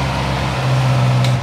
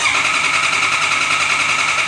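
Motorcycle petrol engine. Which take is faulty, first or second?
second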